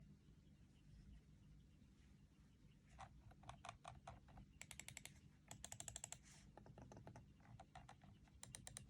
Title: Protoarc EM03 clicking sound #protoarc